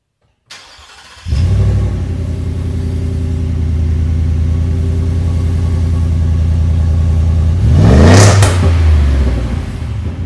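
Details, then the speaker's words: 2022 Ford F-150 Lariat with the 5.0L Coyote V8, stock muffler removed: the engine fires into a loud, deep rumble and barks on a quick throttle blip, with the exhaust running open and no muffler fitted. "So I'm going to start this thing up and see what it sounds like without any muffler on it."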